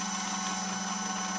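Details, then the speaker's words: OmegaPol Auto metallurgical grinder/polisher running recipe 5 without polishing cloth, dosing pump running and dispensing: steady even hum, constant whirring tone and smooth airy hiss, no knocks or surges; normal operation. "As you can hear and see, the pump is running"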